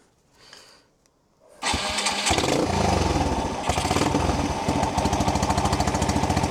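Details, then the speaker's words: 30-year-old abandoned SR125 single-cylinder motorcycle revived, seized fuel tap: cranks and catches at once, even thump picking up cleanly on throttle, revs well; engine sound, carburetor needs slight adjustment. "So she's revving actually really well. Little bit of adjust adjustment needed on the carburetor, but the engine is absolutely sound."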